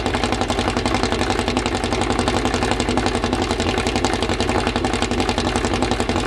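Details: Freshly assembled 2054 engine on its first start after nearly a year of building, carbureted. A quick, even idle around 1200 rpm with steady firing pulses and a faint gear whirr; the idle is kept high for break-in and may be lowered later. Normal fast idle.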